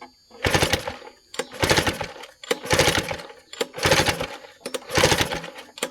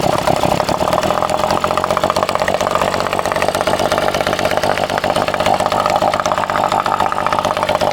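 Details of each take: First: Vintage outboard, clean and barely used, choked and in neutral with shrouding still on: five rope pulls about a second apart, each a rattling whir dying away with no firing; cranks but won't start, spark not yet checked. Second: Vintage two-stroke outboard, bought cheap and unknown history, running after restart: steady high, crisp buzz holding speed evenly; it pumps water and runs cleanly and healthy.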